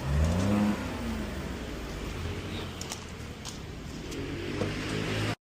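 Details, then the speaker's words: Ford EcoSport after retiming (timing had jumped, causing black smoke) and replacing a poor earlier turbo replacement; engine revs up and settles with an even, steady exhaust note, no clatter or metallic rattle; running fine. "okay na to. Babachi na to si Sir. So all good sa EcoSport niya."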